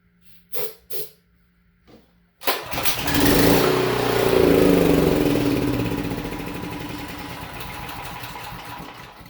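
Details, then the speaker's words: Honda GX390 generator engine that sat about a year and would not start: runs only on starting fluid sprayed into the intake, catching and roaring then fading as it burns off; fuel starvation, carburetor suspected. "there you low it's working so that means uh the problem is now the uh engine is not getting enough fuel uh to start so the problem will be the carburetor we need to clean it"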